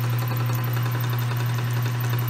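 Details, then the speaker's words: Metal lathe running on its new pulley: a steady motor hum with faint rapid clicking from the gearing. The owner suspects the movable fourth pulley where it rides. The lathe otherwise works well. "And this can move a little bit, and I think that's where that clickety-click noise is coming from. But it seems to be working really well."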